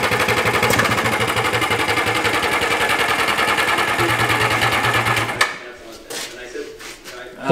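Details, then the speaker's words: 1987 Yamaha Exciter 570 two-stroke snowmobile, first start after sitting 13 years on fresh gas, screams at steady high rev with no throttle input, then is cut with the kill switch; over-tight throttle cables kept the carburetor needle from fully dropping, causing runaway revs. "the throttle cables were pulled really tight so the actual like needle in the car wasn't going down all of the way so that's why i had to run it with the kill switch because it would rev out and i would have to kill it because it wanted to go a bajillion miles an hour"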